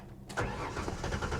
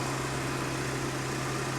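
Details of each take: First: Salvage 2015 BMW 750i automatic, jump-started after a loose ground was reattached and low on fuel, cranks with uneven stumbling firing as it tries to catch but won't run. It may have been sitting, and an inertia switch is suspected. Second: 2015 BMW 750i salvage-auction car, started with a booster pack, idling: smooth, quiet, steady hum with no knocks or ticks, a normal healthy idle.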